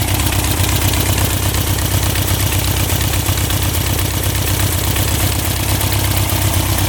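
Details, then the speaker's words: 1967 Volkswagen dune buggy, owner thinks the air-cooled flat-four is about 1300cc and notes it burns oil, restarted after a first ride following a non-running purchase: deep, even chuffing idle with no stumbles, knocks or rattles; running smooth and healthy. "let's start back up and see what happens see if she's still lighting good sounds really smooth doesn't it"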